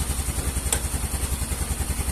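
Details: Yamaha Mio M3 125 scooter with fuel pressure gauge fitted, reading rising from 60 to 70: steady putter at about eight even pulses a second, no misses or surging; clean idle.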